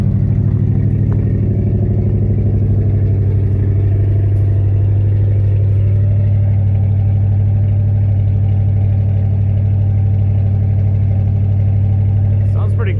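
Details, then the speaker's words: V8 truck just started after about 3 years sitting; idle a little high, owner suspects fuel aerating from fuel line setup. Deep even burble, no bottom-end knock; slight misfire noted, may need ignition tune-up; settling in well. "good a truck that's been sitting for a few years idle's a little high but I think the fuel is probably air rating from the way I got that fuel line set up and whatnot"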